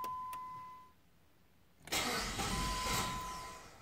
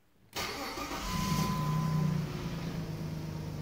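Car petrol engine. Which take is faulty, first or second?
first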